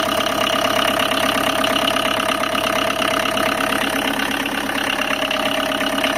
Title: indica engine noise problem #engine #tatamotors